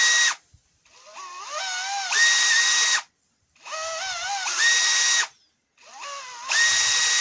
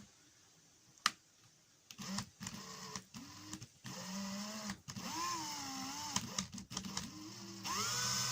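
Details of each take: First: Makita DHP483 cordless drill after the trigger switch fix: three clean trigger pulls, each whine rising smoothly and holding steady without cutting out. Normal motor run, no longer intermittent. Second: Makita DHP483 cordless drill: motor whirs up in short bursts and keeps cutting out with the trigger held, pitch wavering, sometimes not running at all; owner is 90% sure the intermittent trigger switch is the cause.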